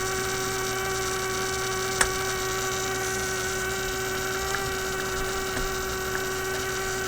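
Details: Steady low buzzing hum with faint clicks from a 1967 Heathkit Electronic Projects Kit AM transmitter build; the noise continued with the coil and power disconnected, so the noisy bench power supply was the source.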